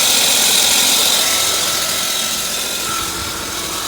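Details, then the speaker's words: 1998 Volvo V90 at idle: thin steady high-pitched squeal from the back of the engine, first metal-on-metal, changed after topping up low oil; owner suspects cam or valve, unconfirmed. "uh originally when the noise was first happening it sounded like just straight metal on metal and then I poured some oil in it cuz it was marking kind of low and it did improve or change the noise"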